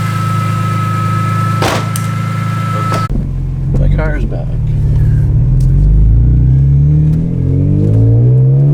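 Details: BMW E46 M3 after new spark plugs, coils and valve cover gasket for a misfire, with the ratchet removed from the crank pulley: steady idle, then clean rising revs, even exhaust note, no ticking or knocking; normal running.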